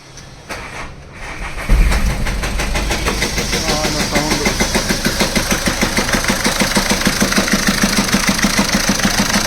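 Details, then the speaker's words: VW Polo/Vento diesel after a cam timing mistake: sharp, regular clatter about three per second over the idle after start-up; two rocker arm tappets on cylinder one broken by the incorrect cam timing. "അതിന്റെ tappet പൊട്ടി കിടക്കുകയാണ് അതിന്റെ sound അപ്പൊ രണ്ടെണ്ണം tappet പൊട്ടിയിട്ടുണ്ട്"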